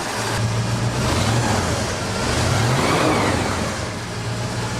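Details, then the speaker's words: Flooded 1978 Ford F-150 V8 after repairs and new tank, restarted after months: deep, even rumble rising and easing with throttle, no knocks or misses; smoothest it has ever run, oil pressure up, healthy engine. "smoothest it's ever ran. Wow, okay. That's a whole new motor. Booger's alive and finally healthy."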